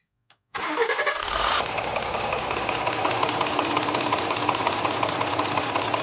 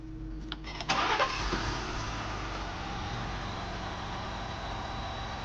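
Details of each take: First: Ford F150 pickup 3.5T engine at idle with a fast, uneven ticking rattle that sounds like piston knock. It is a known fault: worn lock pins in the cam phaser sprockets (3 of 4 worn), letting camshaft and sprocket shift back and forth. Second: Ford F-150 engine after reassembly with timing chain marks realigned: brief crank and catch, then quiet, steady idle with no knocking or rattling; noise fixed.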